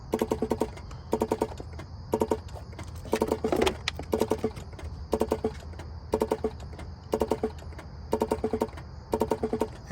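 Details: Infiniti G37 on the owner's second day with it, after fitting a battery: rapid, evenly repeated sharp electrical clicking about once a second, source unclear; door locks and glove box don't work, and the owner suspects bad wiring.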